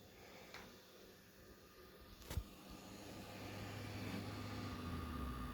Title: ps5 buzzing noise